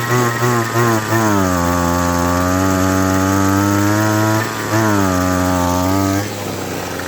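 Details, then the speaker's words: Echo SRM-200BE trimmer: high buzzing revs sag sharply twice and stumble as if dying when tilted in hand at an angle, yet run fine on the ground; owner suspects too much fuel, cause not pinned down. "I guess it has to be at an angle in order for it to die like that so um I guess it behaves when it's on the ground and not when it's in my hand"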